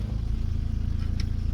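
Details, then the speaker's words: 2003 Skoda Octavia after repair of a no-start with fault 01314 (ECU no communication, no power at main relay terminal 30). Low, smooth, even idle with no knocks or misses. Running normally. "вже все автомобільчик працює"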